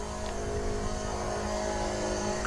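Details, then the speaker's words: Car on a dry tank, only a drop of fuel left in the filter, with about a gallon of gas added from a can. The electric fuel pump primes, starting super quiet, then a steady low hum and whine growing louder as it tries to suck fuel. "let's see what the pump sounds like oh it's still super quiet oh it's getting louder oh you can hear it's starting to try and suck"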